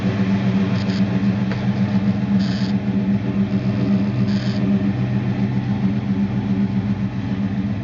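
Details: 1969 Dodge Dart Swinger 340 V8, first start after reinstalling the K-frame, engine and transmission assembly: steady even burble settling into a smooth idle, no knocks or ticks; normal idle.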